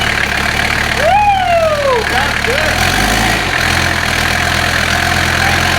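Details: Diesel engine freshly swapped into the car, first start after adding oil, paint cap ready to block intake if it runs away: even, steady idle with low regular clatter and a brief early chirp; oil leaking but making oil pressure, gauge reading; runs smooth.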